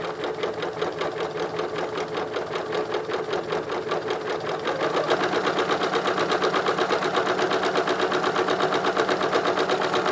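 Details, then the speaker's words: Singer 9970 sewing machine with size 12 universal needle, sewing multiple fabric layers for pleated masks: quick, even stitching tick at a steady rate, speeding up and thickening around five seconds, no knock or grind; machine very quiet, only the foot pedal spring squeaks; normal running. "let me so just just listen the quietness of this oh my god I could hear the foot pedal squeak compare it to this the foot pedal spring is making noise and the machine isn't listen"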